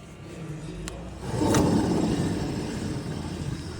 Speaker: Customer guaranteed this noise wasn't the wheel bearing. It was.